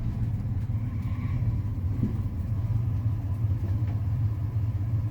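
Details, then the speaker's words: 1988 Ford F-150 V8, after setting ignition timing, holds a low, steady rumble with no surging or hunting; normal idle. "Oh wow, it's staying running. It's not going up and down and surging like these old Fords do."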